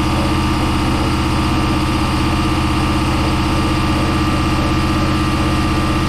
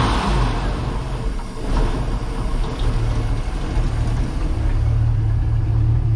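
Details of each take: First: Project boat, starboard engine at its first start-up on a water hose: steady low idle with a regular fast tapping at about four per second; owner suspects a rod knock. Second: Port engine of a twin-engine project boat on first start-up after new batteries: deep, even idle rising smoothly when revved with no knocks; sounds good, while the starboard engine likely has a rod knock.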